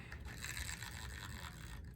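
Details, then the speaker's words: Mitchell 300 Excellence spinning reel, handle turned: soft scraping ratchet clicks as the anti-reverse tries to catch but slips intermittently; burr on the anti-reverse pawl or weak spring suspected. "and you can hear it it's trying to work it's trying to catch but it's just not getting the job done"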